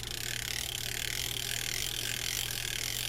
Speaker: it's the 100 RL it's a small format reel it's one of these reels that'll drive people crazy because of the noise it